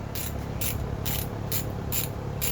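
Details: Ratchet left sitting rusting in a humid toolbox, WD-40 applied: gritty ratcheting bursts about twice a second, rough rasps rather than clean clicks, rusted ratchet mechanism dragging where it used to be smooth.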